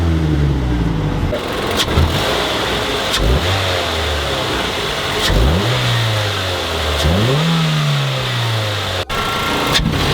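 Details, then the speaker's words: Mazda 3, stationary throttle blips for before/after intake resonator delete sound clips: revs rise and fall with rough raspy exhaust edge; owner suspects an exhaust leak somewhere, not confirmed. "Don't mind that noise in the exhaust. There's definitely an exhaust leak somewhere. Pretty rough, but I definitely think it's an exhaust leak."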